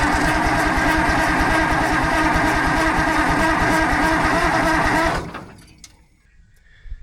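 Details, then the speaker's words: Allis Chalmers 645B loader diesel cranked on a jump pack with the injection pump in the shutdown position to prime fuel: strong even cranking, no firing, smoke from the turbo. No fuel arriving; diaphragm lift pump suspected bad. "There's no fuel yet, but it's blowing lots of nastiness out of this turbo. It's cranking over pretty decent, but still no fuel."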